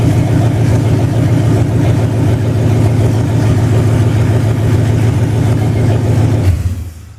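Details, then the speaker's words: 2005 Dodge Durango 5.7 Hemi V8 on a standalone-modified stock harness, first start after new plugs and idler pulleys: smooth, even burble holding steady with no misses, ticks or knocks before shutting off, a clean, healthy idle. "Well, that's pretty nice. No issues right off the bat. So anyhow, that's the Hemi 5.7."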